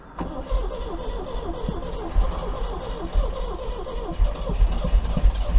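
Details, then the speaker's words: 1980 MGB engine cranking after oil, filter, plug change and tappet adjustment, on stale fuel: starter churns about three beats a second with one noticeably weaker stroke; still low compression on one cylinder. "still uh still low on compression there you can hear that"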